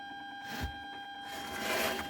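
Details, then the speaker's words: Remote-kit amplifier, over eight years old, with an early large-IC USB board playing via Bluetooth: steady, thin whistle with a faint hum, only when Bluetooth is used, a ground-loop whistle from missing earth bonding. "இப்ப இதுல இந்த Bluetooth use பண்ணும் போது மட்டும் ந்த ஒரு whistle sound மாதிரி வருது."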